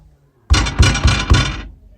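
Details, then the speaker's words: Daewoo Lanos rear beam gives four sharp, ringing metallic knocks whether or not the wheel is lifted; the cause is the metal stabilizer bar loose inside the rear beam, fixed by tightening it and centring its rubber bushing. "наконец-то нашел звонкий стук задней балки lanos хоть вывешенное хоть нет вывешенное колесо"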